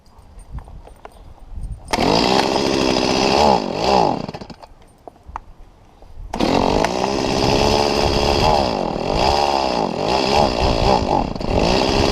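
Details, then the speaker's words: Stihl MS170 chainsaw: revs up, then sags and wavers instead of holding a clean scream, bogging because the carburetor inlet control lever was bent down too far. "well I tore this whole thing back apart and I took a look at this and I realized that the top of that lever was bent down too far"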